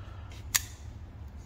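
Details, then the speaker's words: Brand new Spyderco Smock folding knife, pocket clip off, shaken: two sharp light metallic clicks about a second apart, likely from the blade stop pin rattling, with screws tight and blade centred. "if you can hear it rattles so with my aftermarket scales that pin is still going to Rattle there's no way for me to engineer that out just with the scales"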